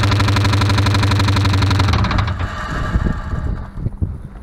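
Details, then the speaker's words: Ford Crown Victoria V8, just after new spark plugs and a throttle body cleaning: a fast, even tapping, about four per second, over the engine before shutdown. Valvetrain ticking found with the valve covers off to be from no oil reaching the top end. "we figured out that it had no no oil going to the top of the motor so all that noise is from the top of the motor so we're investigating it and we'll have it fixed soon"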